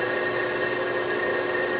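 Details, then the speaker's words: Okamoto ACC-16.32DX 3-axis automatic surface grinder with servo incremental down feed, newly installed spindle running without the oil on: constant steady hum with clean fixed tones, no grinding or rumble; spindle spins freely and sounds healthy. "It's a new spindle in there. It sounds nice. Sounds great."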